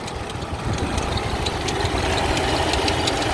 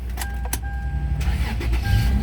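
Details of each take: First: 2004 Toyota 4Runner at idle, under the hood: a faint irregular chirpy rubbing or pulling noise over a steady idle. AC pulley or tensioner suspected; it was louder when cold and eased once warmed up. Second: 2004 Toyota 4Runner at a pre-purchase inspection, battery had been dead: brief crank, then the engine catches at once and settles into a steady, even idle; the start sounds healthy.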